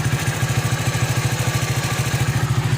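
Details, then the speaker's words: 25-year-old Honda Astrea, 89,500 km, no tune-up in three years, overdue oil change, needs choke when cold, mic near engine: steady even putt-putt about nine beats a second, no knocks or misfires; normal idle. "Suara mesin bisa didengar seperti ini. Ntar saya deketin dulu mikrofonnya ke mesin."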